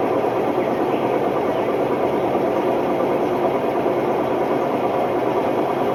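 Loud, constant roar with a coarse grinding rumble throughout the fast spin, typical of failed drum bearings.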